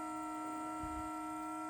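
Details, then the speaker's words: Parked car before starting, at minus three degrees: a steady droning horn-like tone at constant pitch, occurring only in the cold; others told the owner it relates to the exhaust, which is unconfirmed. Tonal hum before starting in cold weather. "i have no idea what that is but it's only happening because it's cold out here it's minus three today they tell me it has something to do with the exhaust something something something i don't know"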